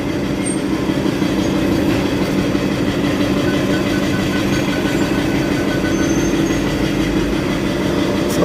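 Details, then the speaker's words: Ford Ranger Wildtrak 3.2 diesel before a general overhaul and engine rebuild. Holding a steady speed with a harsh, uneven knocking clatter throughout; it runs badly, source of the knock undetermined. "Narinig niya yan. So yan yung andar guys, napakapangit."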